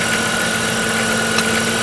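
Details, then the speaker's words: 1998 Chrysler Town & Country 3.8L, test run after fuel injector replacement (number one injector had fault codes): smooth, even idle hum with a faint steady whine and no misses or stumbles. Running normally. "here's to be running smoothly making the normal kind of Chrysler noise"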